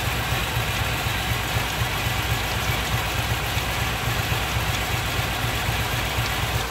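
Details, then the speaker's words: 1989 Chevrolet Celebrity 2.8 V6 with a built cam, hot or cold: rough idle with exhaust pulses stumbling about four times a second and the engine shaking. The misfire clears when revved, returns at idle, and smells slightly rich. Vacuum leaks were checked; cause unknown. "rev it up and it goes away right back in idle cutting up again i don't get it"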